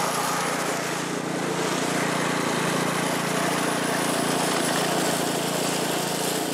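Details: California Trimmer reel mower small engine after carburetor fine-tuned an eighth to quarter turn to stop surging; steady drone with reel whirr while mowing dead grass, no hunting. Running smoothly under load.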